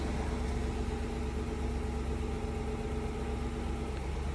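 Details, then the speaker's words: Infiniti QX56 V8 idling with a slightly uneven, lumpy beat; codes P0300 and P0308 show a cylinder 8 misfire, with check engine light and shaking under acceleration; owner replaced the spark plugs. "son P0300 y P038. Cylinder 8 misfire detected."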